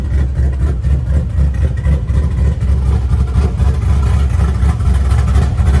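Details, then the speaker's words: LS-based V8 shop truck with new Howards Rattler cam and fresh exhaust, warming up: deep lumpy loping idle with an uneven chop about twice a second from the aggressive cam; runs fine, only needs a tune. "Sounds good. Like I said, I still gotta get tuned for this cam."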